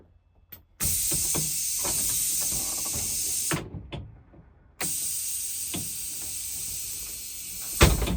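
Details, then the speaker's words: 2008 International IC RE300 rear-engine school bus with an air-operated door, just repaired with a new pressure regulator: sharp air hiss as the door opens, a pause, then an even hiss and soft thump closing; normal door cycle. "So, just a full demonstration of the door operating. That's how it works."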